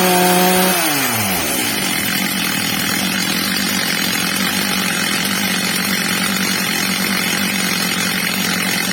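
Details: Old, well-worn Stihl MS230 chainsaw after fitting a new replacement carburettor and tuning it: H-screw max revs set slightly below the ~14,000 rpm target; quick burst settling to a steady, clean high scream without bogging or hunting, normal high-speed running.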